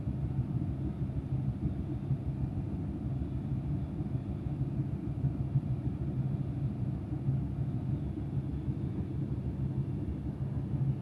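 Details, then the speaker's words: Bosch tumble dryer restarted after owner cleaning and maintenance: steady even low rumble, no knocks, scraping or squeal; running normally. "Voilà, après on démarre. La machine s'allume et marche."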